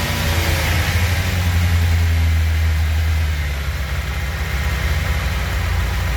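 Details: 1996 Suzuki GSX-R 750 SRAD, carbureted, previously a no-start, fuel pump reconnected, started on choke with no throttle: it fires and holds a fast steady idle. Cause: idle adjuster set too high, then turned down. High idle.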